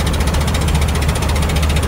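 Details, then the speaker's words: 1999 Ford F250 Triton V10 with aluminum heads, blown-out spark plug before repair: loud rapid puffing, about eight sharp chuffs a second over a rough heavy idle, gas escaping from the spark plug hole. "when I contacted the guy to tell him I was gonna come get him I said you'll know I'm there because I sound like photographer Lee's coming in it doesn't even sound that good"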